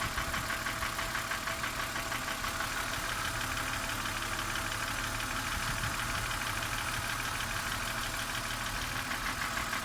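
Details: BMW M52B25 engine idling with a light, fast tick over the engine hum; the ticking fades when the oil filler cap is opened, releasing crankcase vacuum.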